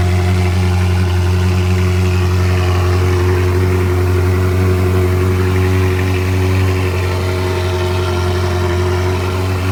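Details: Ferrari 360, first cold start after a Gruppe M air box install, recorded on an iPhone: loud, steady high cold idle with a smooth, even drone and no misfires, rattles or hiss. Normal.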